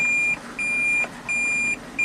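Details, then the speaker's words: 2014 Toyota Prius V, 145,000 miles, with cold-start misfire, coolant loss and a diagnosed failed head gasket: the normal reversing warning, a steady high-pitched beep about every 0.7 seconds while backing up, with the engine starting smoothly. "oh it's got to make its fun sound make sure it doesn't Crush anyone there's the engine start it up pretty smoothly we're backing up like a big"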